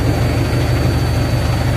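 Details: Hydra BS5 hydraulic crane diesel just after starting: deep, even idle with a steady low rumble and regular firing, no knocks, rattles or hunting. Normal diesel idle.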